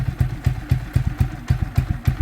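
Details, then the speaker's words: Motorcycle started cold, choke position uncertain: even chuffing pulses about four a second, steady and regular with no misses or surges; a healthy idle. "It's just doing what it should be doing, really."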